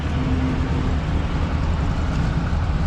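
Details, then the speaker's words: Ford Country Squire, freshly started, belt noise present: deep, uneven idle with a loping chug in the low rumble; looks a little rich, steam not smoke; rough chugging idle, cause unconfirmed. "Ooh, a little chug now. Hear it?"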